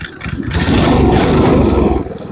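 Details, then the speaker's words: MTD Snowflight 2-stage snowblower, Tecumseh 8 hp Snow-King engine, cold, choke on, possibly flooded, after carb cleaning: engine catches and settles into smooth, even running, no misses or knocks; normal running. "There we go, she's running. We did it."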